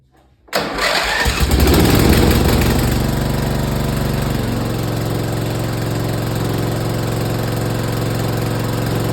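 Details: Craftsman lawn tractor with Briggs & Stratton I/C Gold 12.5 engine, after service with oil in the hash marks: catches quickly, flares up, then settles into a steady even thump about four a second; runs smoothly and healthy.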